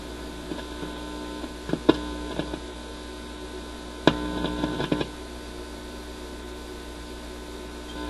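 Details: Admiral suitcase record player with a new replacement stereo cartridge: loud steady low hum with scattered clicks and no music on either channel; the cartridge is judged bad.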